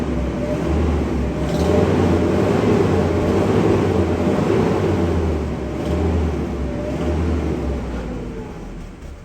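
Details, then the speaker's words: Mercedes-Benz W124 after adding injector cleaner: uneven, lumpy rough petrol idle with throaty exhaust drone; owner notes an exhaust silencer issue. "but you guys heard uh not the best Idol I do have an issue with the exhaust silencer so"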